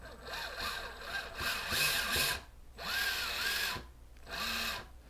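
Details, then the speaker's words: TRX-4 Sport RC truck with Hobbywing 1080 ESC and RadioLink radio, no axles attached: motor whine rises and falls in throttle blips then cuts off sharply; brake seems instant, may need adjusting, not confirmed. "now it sounds like there's instant break so that might need to be adjusted later on"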